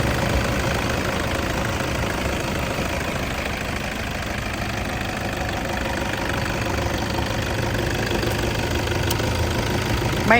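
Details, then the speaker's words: Toyota Hilux Vigo 2.5 E 2010 diesel (2494 cc), 54,000 km, 14 years old, just started with all lights on: even, steady diesel idle clatter with usual injector tick, no misses or knocks, nothing from breather; normal healthy idle. "ไม่มีไอครับเกณฑความดันไม่มีอะไรออกมานะครับนี่คือเครื่องดีปกติ"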